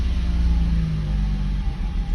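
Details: Mercedes W140 parked 1.5 years with no-start fault, fixed by replacing the module that grants start permission: steady, even low rumble with no misses or knocks; starts and runs normally.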